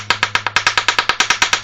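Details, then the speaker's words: GY6 scooter engine: loud, sharp knocking about eight times a second over a faint low hum as the motor turns. Caused by a broken starter one-way clutch, which needs replacing. "at some point the motor would turn but there was a very loud like a like a knocking noise and it sound like this right here you listen"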